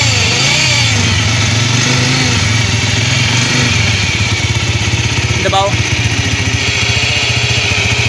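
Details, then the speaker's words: 100cc single-cylinder motorcycle at idle: an extra hollow drone starts inside the engine when the clutch is pulled and vanishes when it is released; a worn bearing with excessive play. "जैसे ही हम clutch को press करते हैं तो आवाज गूंज हमारी शुरू हो जाती है और जैसे ही हमें दोस्तों क्लच को छोड़ते हैं तो हमारी आवाज गायब हो जाती है"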